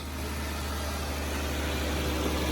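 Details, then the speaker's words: 2008 Kia Sorento 3.3 V6 idling after no-start repair (bad starter), now charging at 14.4 V: smooth, even low hum with no knocks, misses or squeal. Healthy idle, all back together. "Yep. She's good. All back together. Ready to rock and roll."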